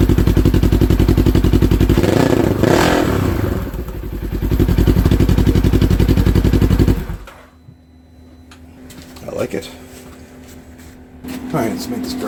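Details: 2015 Polaris RZR 900 S test run on a newly fitted RZR 900XP exhaust that replaced a holed muffler; loud, crisp, rapid exhaust pulses swell with a throttle blip and settle before shutdown, running cleanly.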